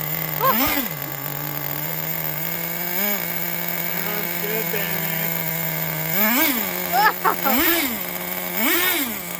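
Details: 2006 Traxxas Nitro 4-Tec 3.3 (Model 4809), TRX 3.3 engine after rebuild, still needing some tuning: high buzzing tone holds steady at idle and rises cleanly with each throttle blip, then settles back; runs smoothly.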